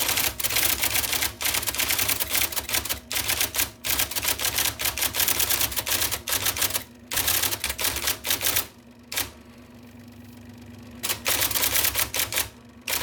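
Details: 1979 IBM Selectric II (non-correcting) electric typewriter typing after restoration (plug rewired, cleaned, lubricated); fast, crisp, evenly struck keystrokes in bursts over a faint motor hum; working properly.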